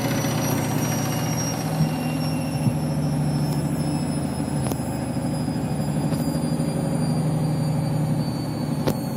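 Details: Washing machine final spin after a very sudsy final rinse (possible suds lock, load sensor deciding speed): constant low roar with a faint rising whine and occasional ticks; the spin is noisy, cause not clear.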